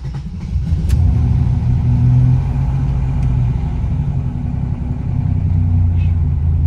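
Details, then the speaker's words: Turbo Buick GN on Megasquirt MS3 Pro at idle: low, steady rumble with no knocks, misses or whine; the gauge reads a normal 29 psi and the dash reads 32–33 psi. "my fuel pressure gauge which you guys might not be able to see because of the uh shutter speed is showing 29 which is normal"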